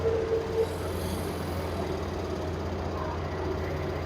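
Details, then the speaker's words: Samsung 7 kg front-load washer after carbon brush replacement, motor speed raised toward 1200 rpm: smooth, steady low hum as the drum spins up, no grinding, knocking or rumble. Drum and bearings fine; normal high-speed spin. "Now we'll increase the RPM, motor RPM. It will come up to 1200."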